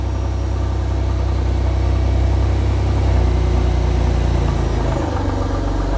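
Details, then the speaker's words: Mercedes SLK AMG-based Gullwing build, cold start idle with one exhaust branch not bolted together, a loud rough puffing rumble blowing from that joint; exhaust leak, yet quieter than before. "It's although it sounds very loud in the garage, it's still much quieter um than it was."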